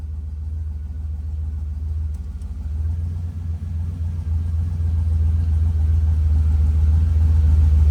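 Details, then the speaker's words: Turbo Dodge Dakota R/T on a dyno after new cap and rotor, plugs and wires; compression, leak-down and boost leak checks fine: deep roar through a full pull with uneven stumble. Suspected misfire under boost; power down. "It sounds like it's missing. To me, it sucker sounds like it's still missing."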